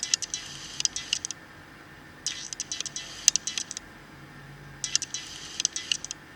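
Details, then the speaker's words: Nikon D5500, focus changed via touchscreen: three short bursts of thin, high buzzing whir as it hunts. The autofocus motor is noisy enough to be picked up by the camera's internal microphone. "nampak bawa motor bungkusnya cukup berisik dan terdengar sampai di microphone internal dari kamera"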